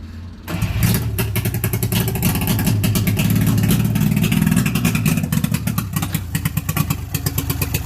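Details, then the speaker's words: Unidentified carbureted two-stroke that had been sitting, run after cranking so its pump can lift fuel to the carburetor: lumpy, stumbling running with revs rising and sagging, apparently on only one or two cylinders. The fuel is stale and tar-like, with too much two-stroke oil or tank dregs. "Only running on 1 or 2. Can't tell. It's got really bad gas."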